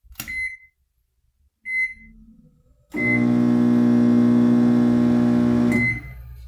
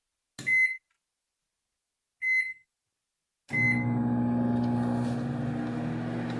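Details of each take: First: Whirlpool microwave briefly run empty after two keypad beeps, giving a loud, harsh, steady hum and not heating; a shorted high-voltage diode overloading the transformer. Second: Whirlpool microwave after replacing the high-voltage diode and magnetron, heating a glass of water from 24 to 43 °C. Two beeps, then a steady even hum with no buzzing. Normal operation.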